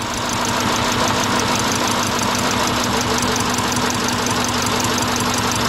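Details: 2000 Subaru Impreza Outback 2.2 with misfire, plugs and wires already changed, owner suspects a burnt valve: idle with an uneven, loping beat and hard clatter on top, not settling; rough running misfire.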